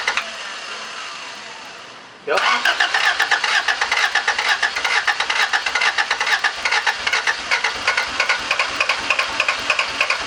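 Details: Honda CRX HF with Si engine, Si underdash and engine harnesses: steady rhythmic cranking churn, about two beats a second, never fires; cranks but won't start, starts briefly on starting fluid then dies after seconds.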